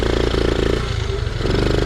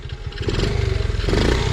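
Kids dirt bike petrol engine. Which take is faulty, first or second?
first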